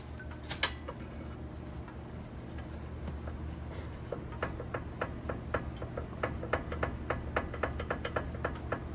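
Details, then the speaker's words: 2012 Hyundai Santa Fe with torque steer and clunking, engine mounts already replaced: sharp metallic clicks speed up to about four a second as a pry bar levers the wheel; worn passenger-side lower ball joint with play. "upon further inspections i finally found the issue it is this bottom right ball joint over here"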